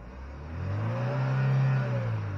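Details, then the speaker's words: 2020 Chevy Malibu 1.5 turbo, after vacuum pump replacement and first start-up: engine climbs smoothly, holds flat at the soft limiter around 4,000 rpm with no stumble, then drops back; clean free rev, no misfire. "4,000 RPM limiter I'm pretty sure if Chevy would have done this right this would be a fun engine to have a fun little car to have around"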